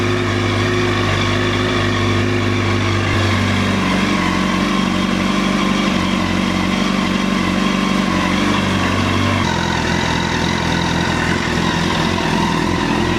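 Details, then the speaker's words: 2009 Honda CBR1000RR Fireblade at 61,211 km, started with a jump pack: engine catches and keeps running, steady drone shifting in pitch with throttle blips; runs and revs normally. "Happy days. Well, that's a major relief. Stay tuned for next episode."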